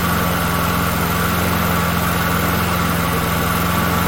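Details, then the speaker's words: Small push-mower engine after retiming a gear reinstalled incorrectly: smooth, even low thrum at steady speed with no misses or surging; normal idle after repair. "I love hearing that sound I didn't think I was going to get it fixed just kidding"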